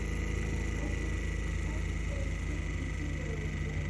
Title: Intense clicking noise from MP60 Vortech.